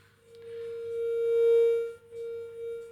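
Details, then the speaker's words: Fender Deluxe Reverb / Peavey Classic 20H amps under test for intermittent faults (loose washer possibly shorting the neon vibrato supply; bias settling). The sine test tone comes out with an edgy, triangle-like overtone, so something is distorting; cause unknown. "I mean, they're bright amps, but it's supposed to be a sine wave, so something's distorting there."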